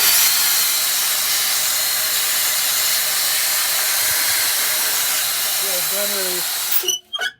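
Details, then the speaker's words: MCI MC5-C vintage bus with brake issues, listening at a wheel's air brake chamber: strong, steady hiss of escaping air while the brake pedal is held, then cuts off when released; blown brake chamber diaphragm, hole found. "It's definitely a blown diaphragm here."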